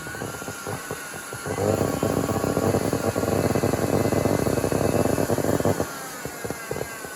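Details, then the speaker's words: Miele Classic C1 Junior Powerline vacuum, SBAD1 motor, salvaged from a waste heap, started on minimum power after reassembly: motor spins up to a harsh, gritty roar with uneven fluttering edge, doesn't sound happy; rough-running motor. "Let's see if it works. Let's start it off on min. Doesn't sound happy."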